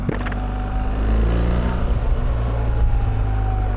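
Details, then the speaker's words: BMW R1300GS boxer with 12,000 miles and aftermarket exhaust can, under acceleration: throaty pull with thin steady whine sagging as revs change, Triumph-triple-like whine and rattly, more than the R1250; source not pinned down. "It's got a weird Triumph sort of triple whine to it, which I don't like. It annoys me. It's really rattly, more rattly than my 1250 was."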